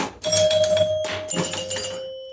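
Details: Abra Ca Dabra pinball machine after repair of re-booting and ball and bonus unit errors: a single solid knock and a clear, evenly fading chime. The knocker previously crashed the game about every fourth fire; it now fires cleanly, normal.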